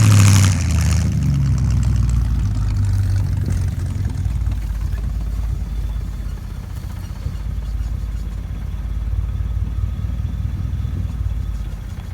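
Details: 1975 Ford F-100 V8, abandoned 17 years, first start after revival work; deep, steady rumble holding an even idle with a few throttle blips, running smoothly; normal idle.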